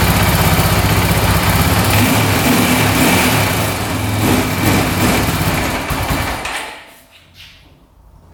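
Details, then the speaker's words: 2004 Honda 400EX single-cylinder quad after carb clean and valve adjustment, started cold, hard starting: runs lumpy, won't rev off choke, dies even with choke on; improves as it warms. Engine bogging and stalling. "All right, as you can see, it's running horribly. I turn it off choke. It won't rev out at all. It just dies. And I put the choke back on and now it dies again."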